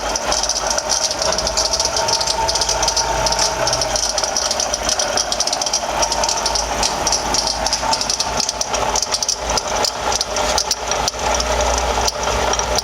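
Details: 2007 Toyota RAV4 V6 at idle: constant gritty, rattly whir above the engine note from a bad water pump, with pinkish coolant leaking around the engine block and pulley.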